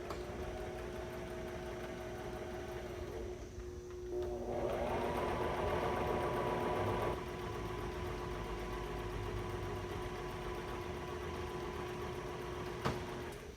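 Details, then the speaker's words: Brother XR3774 sewing machine, automatic buttonhole stitch: rapid, even needle chatter about four stitches a second, pitch shifting as it goes back over itself with thicker stitches at the start, then steady; normal buttonhole cycle. "back to the beginning, you kind of hear it kind of go over itself, and it's a little thicker in the stitch length, and the stitches right there, so it kind of stops you."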